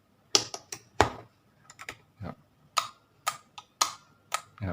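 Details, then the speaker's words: LG top-load washing machine drain motor bench-tested with power applied, the cause of no drain during spin and an error: irregular sharp ticks with a brief buzz, about one to two a second, clicking but not pulling; faulty motor. "จะได้ยินเสียงเหมือนเหมือนโซนิคหน่อยจะได้ยินเสียงต๊อกแต๊กแต่ว่าตัวนี้ไม่ดึงครับเสียงมอเตอร์ไม่ทำงานตัวนี้ดังต๊อกแต๊กแต่ไม่ดึงตัวนี้เข้านะครับ"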